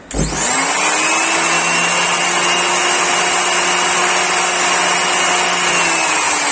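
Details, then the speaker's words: Dnipro-M GL-230 angle grinder after disassembly and removal of broken fragments that caused crackling in the gearbox: spins up quickly to a steady high whine with no crackle or rattle; the foreign noise is gone. "Ну, в общем, посторонний треск исчез."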